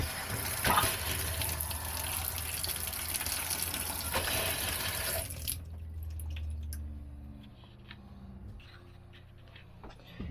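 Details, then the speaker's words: RV de-winterization, hot side faucet opened: harsh spitting rush of water and air for several seconds, settling to quieter flow as trapped air purges; water pump cycles on and off. "And then also you want to turn on your faucets on the inside until you get the air blown out of those. Show you here. Just get all that air out of there."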